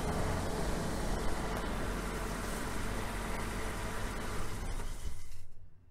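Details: 2003 Nissan Frontier XE 2.4L four-cylinder, after fuel pressure regulator replacement to fix hard starting when hot after sitting; mic placed close to the engine; it catches and runs smoothly with an even low rumble, then shuts off cleanly.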